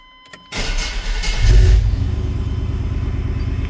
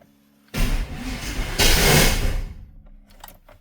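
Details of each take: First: 1995 Chevy 1500 GMT400 after a transfer-case speed sensor swap, cold start: a brief crank, catches within a second, flares, then settles into an even, steady idle. Normal cold start; the pulleys are noted as noisy afterward. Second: GMT400 OBS Chevy truck, first start after long storage: a ragged, lumpy two-second crank with uneven popping that never catches cleanly; spark plug wires were off one position on the distributor cap.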